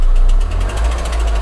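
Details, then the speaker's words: 2001 Skoda Octavia 1.8 turbo: sharp, regular knock about eight beats a second over heavy engine rumble, appearing when throttle is pressed; idle steady; owner suspects hydraulic lifter or broken rocker, unconfirmed. "одновременно появляется стук здесь похоже на гидрокомпенсатор или который компенсатор или а рокера какой-то сломаны или что-то такого"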